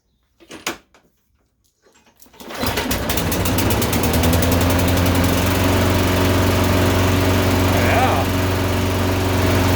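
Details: Toro Recycler lawnmower, Briggs and Stratton engine, new in 2012, misfiring and rich since new with carboned plug; after high altitude jet and a hotter plug it starts into a fast chug with uneven burble, still misfiring, no significant improvement.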